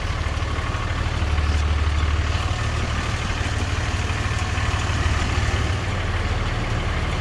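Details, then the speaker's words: Cummins diesel pickup at idle whose belt shredded on the way to work, the day after another shop replaced the power steering pump; a loose, uneven rattle about three per second rides over the deep idle as the shredded serpentine belt flaps. "I can hear it rattling. Apparently, the shop replaced the power steering pump."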